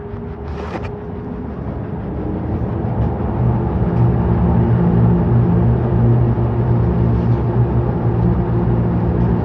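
A deep, heavy rumble builds over several seconds and stays loud and uneven as the drum spins; the washer is shaking abnormally.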